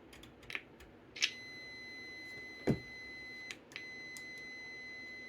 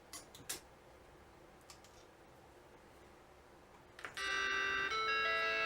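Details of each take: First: Vintage Macintosh logic board on repair bench, PMGR reset before power-on: flat high tone switching on and off with clicks and pops instead of a clean chime, audio hardware powering up in an undefined state; faulty startup sound from broken trace to sound chip. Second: Vintage Macintosh logic board after repairing a broken trace in the sound circuit with a patch wire and refitting a capacitor: faint clicks then a clean sustained startup chord; normal startup chime.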